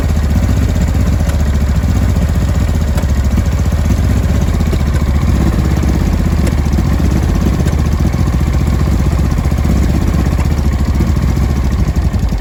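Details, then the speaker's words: 2005 Honda Deauville NT650V twin just restarted after carburettor refit (vacuum pistons repositioned, pilot screw about 1¾ turns out), cold on full choke: a rough, lumpy idle with irregular pops and bangs. No air leak, it is just cold. "as you can hear it's running popping and banging still full choke here at the moment but there's no air leak there's no nothing it's just cold"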